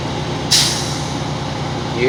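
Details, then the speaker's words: Truck idling during the California air brakes cut-out test: a sudden sharp hiss of air bursts out as the governor cuts out at about 127 psi, under the 140 psi limit. A normal cut-out and a good test. "that sound that's it right there all right it cut out about 127 psi good test"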